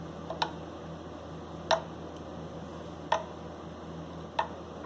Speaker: I don't know if you can hear that, but it's making a noise because it's rocking. This is rocking on the fret. So I have a slightly high fret.